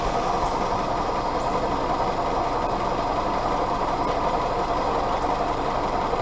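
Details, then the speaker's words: Willys CJ2A L134 Go Devil four-cylinder being tuned after earlier troubles; readings taken were exhaust about 200, top of head 140, water hoses 115–118. It holds a steady mid-pitched drone with no knock or misfire and seems to run okay. "really it seems to be doing okay I don't know I'm probably just gun shy at this point with everything that's happened but I'm pleased that it runs"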